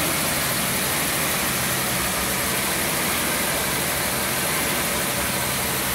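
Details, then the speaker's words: Mercedes 250 SL W113 Pagoda parked in a barn since 1998, running on a temporary fuel pump with alternator belt off; steady smooth six-cylinder idle, good oil pressure, no smoke, no knocks or misses. "the alternator light is on because the belt is off the alternator but the temperature gauge is working oil pressure gauge is working hard's got good oil pressure it doesn't smoke runs pretty good for a car that's been sitting for 25 years"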